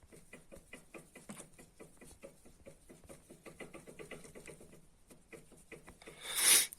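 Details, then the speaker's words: Seat Alhambra right-side sway bar end link, fitted new in April and knocking by October: quick, light clacking knocks, several a second, as the worn link is rocked by hand. Ball joints and bushings show no play. "там так само стукає от купив Я нові"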